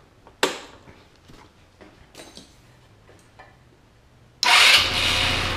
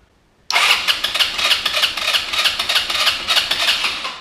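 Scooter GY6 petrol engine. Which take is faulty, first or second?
second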